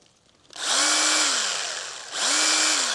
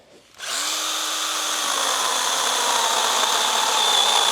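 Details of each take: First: Stihl GTA 26 battery garden pruner mini chainsaw, chain at loosest adjustment, after adding chain oil: two short runs, motor tone climbs quickly, holds evenly and winds down over clean chain hiss; runs much better with oil. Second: Stihl GTA 26 battery garden pruner mini chainsaw cutting larger-diameter branches with battery almost empty: motor whine slowly drops in pitch while cutting, losing speed as the battery runs flat.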